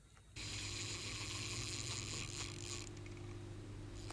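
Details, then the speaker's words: Patek Philippe Aquanaut 5167A-001 automatic movement: soft steady airy whir with faint scraping tick as the rotor swings; normal noise of the ceramic rotor bearing. "so oftentimes during the day when i wear this watch i can hear the rotor moving i can hear the ceramic bearing of the rotor"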